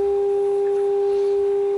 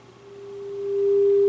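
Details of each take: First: 1930s Philco 112-B AM radio tuned off frequency near 1400 during RF alignment: a steady high whistle with a fainter overtone. Owner wonders whether the stage under the cover causes it and is trying to get rid of it. Oscillation squeal. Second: 1930s Philco 112-B radio after restoration, alignment with signal generator at 400 Hz modulation near 600 kc: pure steady loud test tone, no hum or crackle, set peaked and receiving well.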